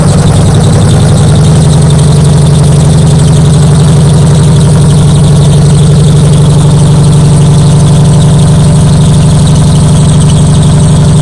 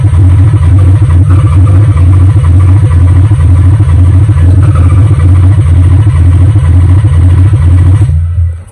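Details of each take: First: Nissan 300ZX Z32, sat for years, just revived with starting fluid: loud, steady low engine drone with even beat and a faint high squeal on top, holding idle; still running on old stale gas. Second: Nissan 300ZX Z32 that sat for years cranks but won't start, on a jumper in neutral after a fuel pump replacement and oiling the cylinders. It churns at an even two beats a second without firing; it later still wouldn't start with brake cleaner sprayed into the intake, and spark was then checked.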